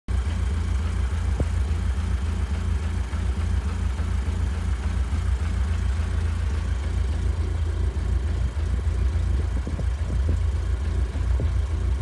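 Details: Audi S3 idling; deep heavy throb that wavers and stumbles unevenly; rough idle, cause unclear.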